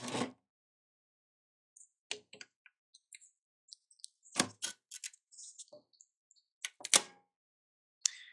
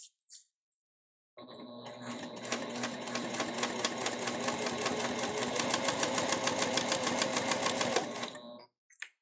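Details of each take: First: Elna eF1 semi-industrial sewing machine, 20-weight Tex 45 thread, factory needle, needle-down stop: thread cutter gives scattered sharp clicks and heavier thunks instead of one clean snip; clunky, something possibly caught, foot setting suspected. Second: Elna eF1 semi-industrial sewing machine with Tex 45 (20 weight) thread and the factory needle. Quick, even needle ticking over a very quiet, soft motor hum, steady throughout. Normal sewing operation.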